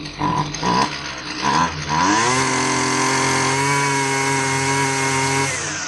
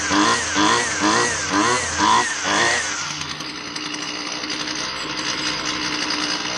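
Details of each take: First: Husqvarna 128L string trimmer after fuel line replacement; it was boggy and responded inconsistently to carburetor adjustment, richened slightly. It sputters in short bursts, then screams to a steady high rev. Running lean; the metering diaphragm was found hard as a rock. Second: Husqvarna 128L string trimmer two-stroke after replacing the stiff carburettor metering diaphragm that had caused a bog: throttle blips, then a clean steady high buzz; runs smoothly and responds well to adjustment.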